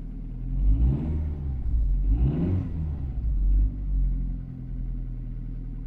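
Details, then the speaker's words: Vehicle left untouched for over a year, sunk into the ground, slightly low coolant. Deep, steady engine rumble rising and falling evenly with two throttle blips, no knocks or misses: running surprisingly well. "läuft erstaunlich gut für ein jahr ich bin begeistert"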